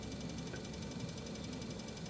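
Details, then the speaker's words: Ticking from the drive of a new Horizon 7.0 AT treadmill, starting days after assembly; fast, even ticks over a low motor hum at slow belt speed (speed 2), and the ticking rate rises with belt speed. "And the ticking kind of sound actually changes with the speed."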